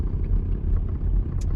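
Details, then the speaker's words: Old Evinrude 20hp two-stroke tiller outboard on an Askeladden 430 boat, after revival: low, slightly lumpy burbling idle with no rattles or misses, a nice solid idle that rumbles as a two-stroke should. "Yeah, nice and solid idle, rumbles a little bit, the way a two-stroke is supposed to do."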